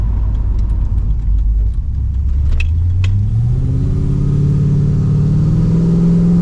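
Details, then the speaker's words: Holden VX SS Commodore V8 with fully rebuilt engine and transmission, big cam, new exhaust, first drive: deep, lumpy note climbs smoothly in pitch under load, not full throttle, no knocks or misses; healthy acceleration. "oh that's driving so good oh man that was perfect"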